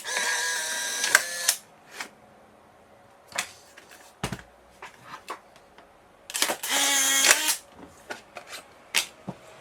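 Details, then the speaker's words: Polaroid SX-70 with SX-70R PCB and 20,000 RPM FF-130SH-2657 motor ejecting film beside a camera with a slower motor: short crisp high motor whirs, ejection nearly twice as fast; normal. "so the one on the left here takes I don't think quite twice as long but nearly twice as long to eject"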